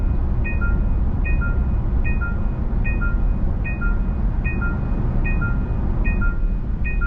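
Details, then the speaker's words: Genesis GV70 facelift, 3.5 turbo, highway driving assist on: two-tone chime repeating about every 0.8 seconds over road rumble, the hands-off steering wheel warning before highway driving assist disengages and speed is limited. "과연 경고를 무시하게 되면이 차가 [음악] 강한 패널티를 줄까요 이와 같은 경고음은 기존 제네시스에 있었고요"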